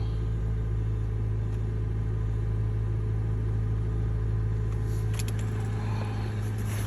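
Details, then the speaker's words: 2013 Honda Civic idling after replacing the battery fuse that caused a no-crank, no-start: smooth, steady low hum with no misses, knocks or ticks; engine idling evenly, issue fixed. "the issue is fixed 15 bucks this would have cost them a lot of money wow"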